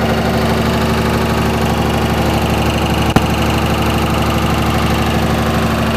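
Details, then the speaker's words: 2004.5 Ram 2500 Cummins diesel idling: regular knock two to three per second over the clatter plus one sharp clunk; heard in reverse when the truck bounces on brake release, goes away at idle; cause unknown. "Let off the brake, truck bounced back and forth, and you can hear it when it bounced, but you can't hear it at idle. Yeah, it goes away at idle."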